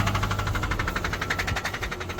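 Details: Subaru engine at steady idle with a quick, regular knock riding over it; it was called healthy-sounding, maybe needing a tune-up, yet the knock sounds deep and internal. Cause unconfirmed.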